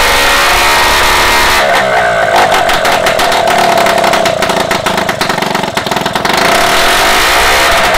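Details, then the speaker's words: Restored Solex 5000 two-stroke moped engine, first test run on workstand after rebuild, before refitting to frame: buzzy note revving up and settling back, even firing without misses or knocks; runs quite well. "écoutez il est allé à marcher pas mal"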